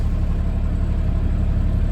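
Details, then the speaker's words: Mid-1990s GMC TopKick truck, mostly loaded with manure, with a blown engine, barely driving under load: low, lumpy rumble with an uneven beat, as if several cylinders aren't pulling; seems to be running on about four cylinders, cause suspected. "question is can he make it across the highway and up over the ril road tracks this will be uh quite a challenge it sounds like he's only running on about four"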